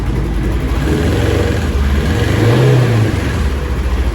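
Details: Steady low engine note that rises and falls cleanly with throttle blips, with no knocks or rattles, from a rebuilt 2017 Polaris Ranger with exhaust packing removed; it runs pretty good and revs normally.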